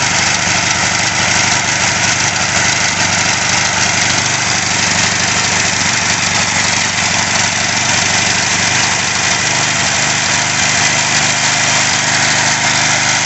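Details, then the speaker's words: Craftsman 3.5 hp edger/trimmer after carb cleaning, idle screw adjusted with tachometer: steady, even buzzing idle with no hunting, misses or surging; good idle. "That sounds pretty good. That sounds like the sweet spot. Good idle."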